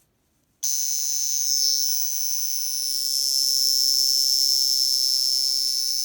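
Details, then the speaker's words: Poljot caliber 2612.1 mechanical alarm watch from the 1990s, alarm spring fully wound: thin, high metallic buzzing rattle starts abruptly and holds steady, ringing about 13 seconds; alarm works normally. "This alarm sounds for around 13 seconds if you fully wind the caliber."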